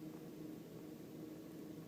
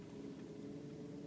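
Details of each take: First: 1999 Volkswagen Beetle, warmed up with coolant at about 135 degrees indicated: quiet, even idle, still slightly low. Smooth, with no misfire detectable by feel or ear; normal warm idle. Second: 1999 Volkswagen Beetle (built October 1998) warming up, idling about 700 RPM versus normal 790–900 RPM when warm: faint, slow, even hum with no stumbles; low idle speed but no misfire.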